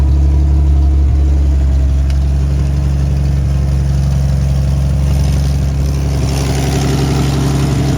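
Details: Toyota FJ40 with 77,000 miles, carbureted, idling while the differentials break in: loud, rough, uneven idle with a deep puffing rumble at about four beats a second; owner suspects an exhaust leak, a vacuum leak or a carburetor needing rebuild.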